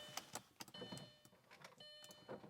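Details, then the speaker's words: Audi B5 S4 (2.7 twin-turbo V6, quattro), passenger front power window, with none of the car's windows working. Window motor hums with irregular crunchy clicks and pops as the glass moves. Worn power window regulator. "That's the passenger front and it's just crunchy. I don't know if you can hear that."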